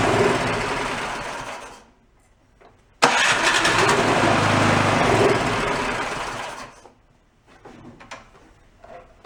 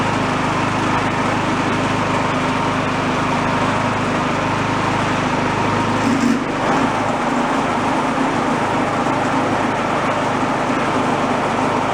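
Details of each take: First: Yard-sale two-stage snowblower started on choke with a squirt of fuel; catches, runs a few uneven seconds, fades and dies, then stumbles. Rough running from dirty carburetor; white speck of debris later found in the jet. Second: Garage-sale two-stage snowblower on choke, after cleaning debris out of the carburetor a second time: small single-cylinder engine runs at a steady, even speed with no surging or misfire; normal running.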